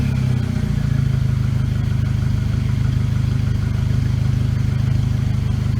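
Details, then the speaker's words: VW GTI with forged internal build, first start with new downpipe installed: smooth even idle holding about 750 rpm, steady low exhaust pulse, slight crackle, no knocking or misses; check engine light from broken valve; normal idle. "but I mean she's idling good keep right at 750 work she should be sounds good to me"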